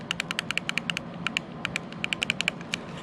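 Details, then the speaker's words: Arrma Kraton EXB RC truck, setting gear mesh after the center diff fluid change, with the spur gear rocked against the pinion: light click-clack ticks in clusters showing slight free play. Normal spur and pinion mesh. "so i normally go for just a little click clack between the gears just the slightest amount you can hear play yep right there is where i like it"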